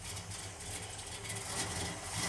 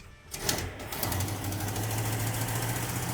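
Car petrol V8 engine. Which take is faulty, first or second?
second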